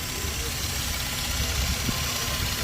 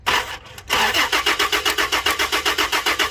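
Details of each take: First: Toyota Land Cruiser V6, previously crank-no-start with fuel pump relay in question: engine holds a steady, even idle with no knocks, misses or surging; healthy idle. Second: Toyota Land Cruiser V6: starter cranks evenly, about four turns a second, for nearly five seconds but engine never catches; crank no start, fuel pump relay in question, cause not confirmed.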